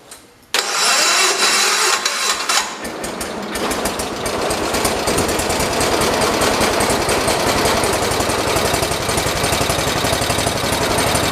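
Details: 1973 112 tractor after replacing points, coil and condenser and slightly readjusting points: cranks briefly, catches within a second, settles into a fast, even single-cylinder putter; starts and runs.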